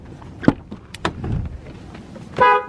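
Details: 2nd-gen Dodge Ram 2500 Cummins with a no-start, horn tested to confirm the interchangeable horn/fuel relay: a few light clicks, then one short clear horn blast with a steady tone. Horn and relay work, so the fuel relay is ruled out.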